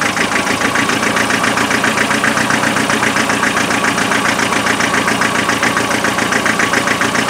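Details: Land Rover 2.5 NA diesel restarted after thermal camera showed the rear cold: lumpy, uneven idle with an irregular beat near four per second; misfire on one or more cylinders, injectors later spray-tested.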